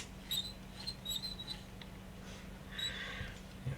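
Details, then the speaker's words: DVD/MP3 player disc loader, which won't eject, slid by hand: thin, high-pitched squeaks from a dry guide rail rubbing, due to be lubricated; its drive belt is hardened. "I think I'll be lubricating that rail. You hear the squeaking?"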